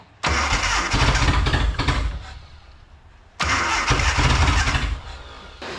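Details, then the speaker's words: Datsun/Nissan 720 King Cab 4x4 pickup that sat abandoned about 20 years, after a top-down carburettor rebuild, with fast idle setting adjusted: engine catches and runs a lumpy galloping idle that fades and catches again, longest it has idled. "no way guys it's got a Gallop but it's idling longer than it has in Forever"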